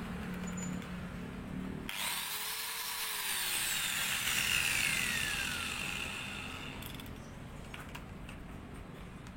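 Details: Maktec MT91A hand grinder after repair of overheating and a growling noise, test-cutting: steady high cutting hiss and clean even whine with no growl; normal running under cutting load.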